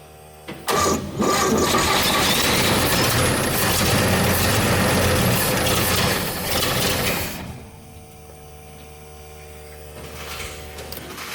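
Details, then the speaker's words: 60-year-old GMC military truck after carburetor cleaning, battery charged, fuel pump on; engine catches and runs rough several seconds then dies; owners say it keeps dying and call it a fuel issue. "but it keeps dying that's another issue we got going on it's a fuel issue"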